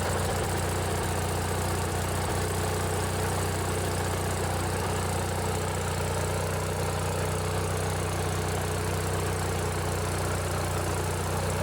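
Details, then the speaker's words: Briggs & Stratton 16 hp opposed-twin riding-mower engine, running with a modified choke cable. Steady, even low drone with a smooth, unbroken beat and no knocks or misses: normal running. "this one here it's the old briggs and stratton opposed twin this one's a 16 horsepower let's see if you can hear the difference with how a twin cylinder sounds"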